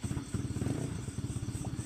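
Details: Freshly rebuilt Honda Sonic engine, first start after reassembly with throttle body, sensors and radiator fitted and oil filled: quick, even single-cylinder putter at idle, steady low thump, no knocks or rattles; healthy idle while coolant circulation is checked.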